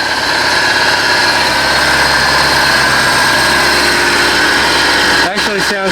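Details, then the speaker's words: 2000 Bayliner Capri 1952 cuddy cabin, neglected 3.0 MerCruiser just started after starting fluid: smooth, even, surprisingly quiet idle with a steady low drone, no knocks or misses, warming up; owner thinks the impeller probably needs changing anyway. "good pretty quiet surprisingly we're gonna let her uh let her get up the tent"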